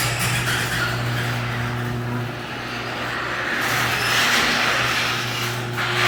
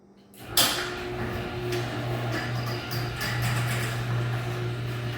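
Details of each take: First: Garage door opening before lubrication: rumble over steady motor hum with harsh scraping from dry, dirty hinges; fix is spraying hinges with garage door lubricant, not WD40. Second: Garage door after lubricating dry, dirty hinges twice with garage door lubricant: soft clunk start, then steady low opener hum with no screech or squeal.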